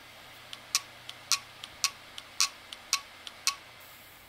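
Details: WD1600JB 160 GB hard drive on power-up: sharp dry head clicks in alternating loud-soft pairs about four a second; heads or electronics suspected, electronics board swap planned.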